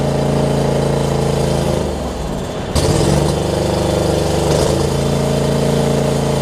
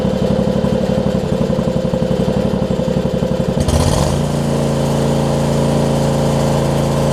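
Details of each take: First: John Deere LX279 riding mower, liquid-cooled engine, started with empty carb bowl after cranking, hours unknown: quick steady beat that dips and stumbles briefly, then settles to an even run; rough at first, improving as it runs. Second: John Deere LX279 riding mower with a liquid-cooled engine, hours unknown (no hour meter), just after a cold start. Firing is choppy and uneven for a few seconds, then settles into a steady run. Rough running when cold, possibly characteristic of the engine, cause unclear.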